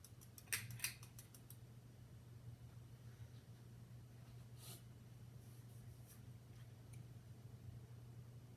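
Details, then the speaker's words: Harbor Breeze Springfield 52-inch ceiling fan, first generation, on medium speed: steady, prominent low motor hum with a couple of clicks at the start; owner suspects a failing capacitor and plans to replace it. "It's medium. It hums a lot."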